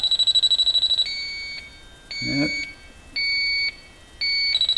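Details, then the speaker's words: Viking Professional wine cooler, back wall off, electronic sniffer at copper evaporator coil joints near suction and discharge lines: high beep jumps to rapid chatter down low at the joints, refrigerant leak detected; soap bubbles to pinpoint next. "yep we're getting the leaks down here i think all right"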